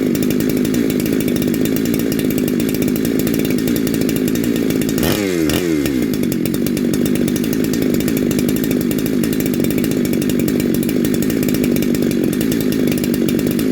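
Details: Neo-tec NH872 big-bore chainsaw (372XP clone), first start, getting hot: strong, steady two-stroke buzz holding an even high idle with no hunting or misses; runs clean.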